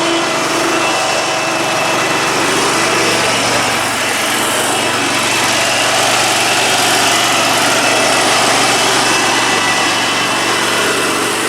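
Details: 72-inch Dixon mower with 1200 hours, after replacing a coil for an intermittent misfire: even, steady high-pitched hum with no misses, surges or stumbles; normal idle.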